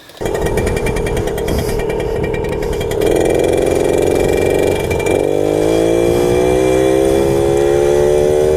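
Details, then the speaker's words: 1997 Suzuki JR50 50cc two-stroke kids' dirt bike, restored, pulling away in second gear: thin buzz climbs slowly and labours, bogging off the line with no low-end torque. "bugs off the line like you can feel it and hear it you feed em I tell you're starting in second it has like no torque down low"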